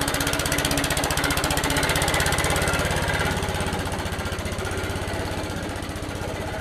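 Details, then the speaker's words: Old Suffolk Punch 43S lawnmower, revived after being bought non-running, cutting grass: rapid, fairly even single-cylinder putter about four beats a second, holding steady; normal running under load, later cut out from lack of fuel, carb clean probably needed. "all right so as you can see from my little clip a lot more cuts grass although it cut out it was just a lack of fuel in there"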